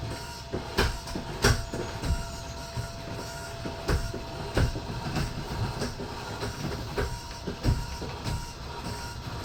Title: Heartland Indoor Jack system making loud noise.